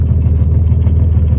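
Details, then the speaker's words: 1967 GMC C1500 half-ton with factory big-block 305 V6 gasoline engine, running after sitting 20 years, exhaust note at low lumpy idle with steady beat and odd uneven pulse; slight misfire, owner thinks it needs a tune-up. "exhaust here little bit of a Miss I think sure needs to tune up sitting for 20 years"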